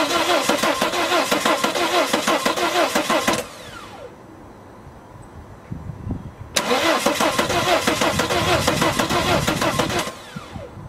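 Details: 2007 Volvo XC90 D5 diesel: two cranking bursts about three seconds each, starter turning evenly, never fires; Bosch CP3 high pressure pump not delivering fuel to rail; cause was air in fuel line from incorrect priming, fixed by repeated key on/off cycles.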